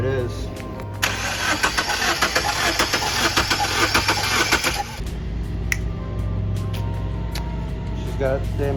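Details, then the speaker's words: 2002 Subaru Forester that began sputtering and misfiring, cranking with spark plugs being checked: uneven, loping beat around 100 per minute, one stroke spinning easier; one cylinder weak on compression, not fully dead. "it's not completely dead it's still working it's just not working as hard as the other ones"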